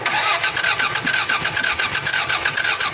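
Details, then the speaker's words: Toyota Corona/Corolla that cranks but won't start, suspected computer box problem: starter churns the engine in an even, rapid rhythm with no firing or catch at all. "so Ayan mga Sir May ginawa tayong Toyota Corona ang problema nito mga sir cranking lang ayaw mag-start"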